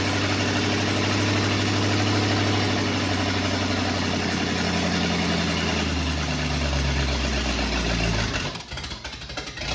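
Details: 1950 Ford F1 flathead V8 just reinstalled, first run before coolant is added: low, even idle holding steady with no popping or sputtering like it did before; running healthy; normal idle.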